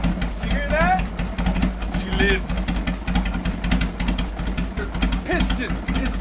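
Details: 2003 Harley-Davidson Sportster 1250 after top-end rebuild (new pistons, used bored cylinders, gaskets) to fix piston slap, first run before break-in; uneven but steady V-twin idle lope with no knocking or slap.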